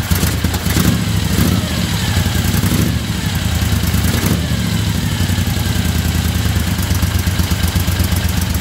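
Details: 1975 Moto Guzzi twin after restoration, cold start at about 40 degrees with choke on: deep, even, throbbing idle with a steady low beat, no knocks or misses; vibration shook the mirrors loose. Normal cold idle.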